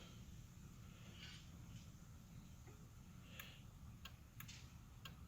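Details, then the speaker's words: Factory-remote add-on remote starter (iDatalink/Compustar) in valet mode: faint sharp clicks about half a second apart over quiet cabin hum after a three-press sequence; remote start disabled, key start still works. "Am I clicking? That clicking means it's in valet."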